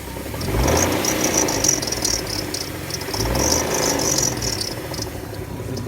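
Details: Car engine with knocking noise, revved after adding Lucas oil stabilizer and Liqui Molly ceramic additive and driving about 5 miles; chirpy high squeaks come and go over the engine, knock still present but much improved.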